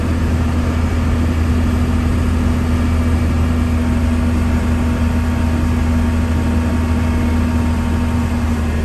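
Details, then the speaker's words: 1993 Dodge Ram W-350 4x4, 12-valve 5.9 Cummins diesel, 51k miles, fully serviced, accelerating uphill through automatic four-speed gears: deep steady drone, no flare or clunk between shifts, no slipping or hard shifts; healthy engine and transmission. "we'll head up the hill so you can hear the 12-valve run as well as the automatic four-speed transmission go through all the gears you can hear for yourself how it doesn't slip or shift hard at all"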